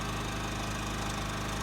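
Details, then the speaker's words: New Champion 3400 W dual fuel inverter generator, model 100263, heard from about 25 feet: steady, even low hum with unchanging note, no knocks or surging; running quietly and normally. "we could have a real good conversation and you'd never even know it was money that I am very impressed very very impressed with us you know accepted"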